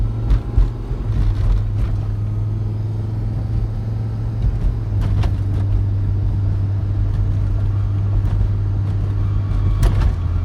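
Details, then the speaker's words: Volvo V70 XC: heavy low road rumble, then a thin steady high squeal rising over it while rolling; no noise at idle. "No noise at idle. I guess it's only when the car is rolling."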